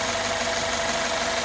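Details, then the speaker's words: 2015 Mercedes-Benz S550 V8 (titled 2016) after cheap aftermarket ignition coils were replaced with factory coils and plugs: a steady, even idle with no misfire or stumble. The water bottle test shows no shaking and all values are near zero. "that's beautiful not shaking at all old school with the water bottle now here is our updated smooth running test all our VES are basically at zero"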